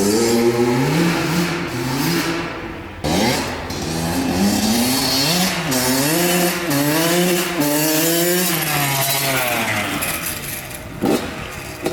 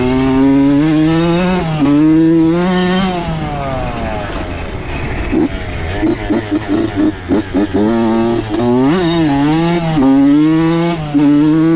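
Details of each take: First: Honda CR80 two-stroke with a Keihin PWK 28 carburetor from the CR85: revs rise and fall in blips, rich and blubbery at the top but pulling crisply low and mid; loading up, later traced to a fouled spark plug. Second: Honda CR80 two-stroke with Keihin PWK 28 carb, after replacing a spark plug the owner thinks was oil-fouled: crisp buzz rising and falling cleanly through repeated blips, with quick throttle response and no misfire. Healthy, though possibly lean.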